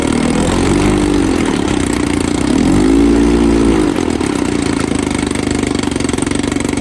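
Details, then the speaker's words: 1954 Evinrude 7.5 HP Fleet Twin outboard after coil replacement, points cleaning and carburetor rebuild (new gaskets, float, needle): short rev settling into quick, even two-stroke putter at idle, no misses; normal idle. "Let's see if it runs. Sounds good. Not making any gas. Actually, idle good here."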